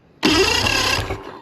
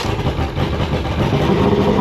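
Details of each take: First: Mercury 2.5L EFI outboard with hot-soak no-start, spark checked by screwdriver to bolt gap: about a second of brisk, even cranking without catching; spark healthy, so ignition spark isn't the problem; normal cranking. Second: Mercury 2.5L EFI outboard with hot-soak no-start, cranked with extra throttle via shift-disengage button: catches and runs rough and uneven, stumbling before settling, with smoke; flooded condition.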